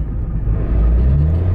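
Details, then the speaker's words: Mitsubishi Lancer (non-Evo) on a test drive around the block: engine revs flare and climb in pitch under acceleration while road rumble barely changes, a slipping clutch that needs replacing. "all right so I know we got one thing coming and that is a clutch nice and he's a clutch bad the clutch is slipping like move but that is one thing"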